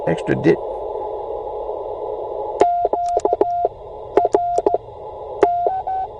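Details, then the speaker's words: Bamatech CW paddle key over-tightened to reduce clack: clean mid-pitch sidetone dits and dahs with stray extra short dits as the paddle rebounds into contact when hit hard; keys need readjusting. "what was happening there is it I I tighten them up so it wouldn't be clacky and in tightening up when I hit it too hard then this one kind of rebounds and and comes in and makes that contact"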